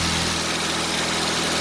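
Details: Mitsubishi Lancer Ralliart after no-start repair (no power to injectors); smooth, steady idle with even low beat, no dips, misses or stalling; running normally.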